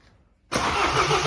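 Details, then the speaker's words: BMW Mini 1.6 N47 diesel cranking after a timing chain, guide and tensioner replacement and engine refit, with fuel lines opened: the starter turns the engine evenly with no firing, a no-start because of air in the fuel lines. "we've broken the fuel lines which means there's going to be air in these fuel lines which means it ain't gonna start straight away"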